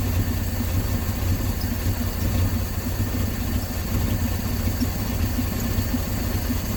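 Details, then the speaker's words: 1968 Dodge C600 shop truck, not run in nearly a year, fitted with an electric fuel pump, with a vacuum line left unattached at the back of the carburetor; it idles low and lumpy and wanders, from the unmetered vacuum leak. "I forgot just now I just forgot I've got a vacuum line unattached on the back of the carburetor there"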